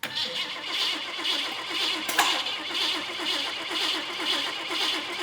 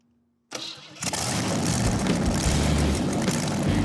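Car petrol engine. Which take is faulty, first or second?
first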